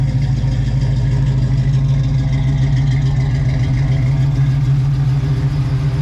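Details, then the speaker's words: 1967 Chevrolet Nova V8 with an Edelbrock 302 Z28 intake, MSD ignition with CD box, headers, Flowmasters and an aluminum radiator: a deep, loud, lumpy burble at a steady idle, even firing with slight cam lope and no knocks. Healthy idle. "So let me start it up for you guys so you can hear what it sounds like and its current form."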